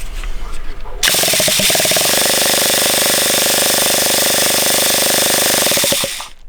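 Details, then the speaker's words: Traxxas Revo 3.3 nitro RC engine flooded by its inexperienced owner, spun over with the glow plug removed: a fast, high buzzing rattle that never fires, clearing a lot of fuel out of the engine. "very nice eh there was loads of fuels in there so that was very wet yep you flooded it is what he'd done"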